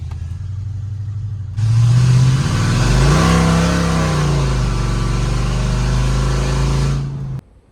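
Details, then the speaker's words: 32-year-old Ford F-150, sat 10+ years, test drive after sorting sooty spark plugs from rich running: hard pull from idle with clean rising note, no more popping or misses, downshifts well; normal acceleration. "it burnt rubber I mean it's it's doing way better it downshifts really good it's not popping anymore because there was so much fuel it's overall a lot better and runs a lot smoother"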